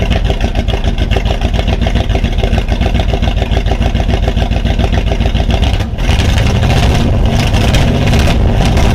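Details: Plymouth Volare after removing an old part that caused a smell: loud lumpy idle, about three uneven pulses a second, never smooth; rough idle, smells of gas so probably running rich, timing and carb adjustment planned.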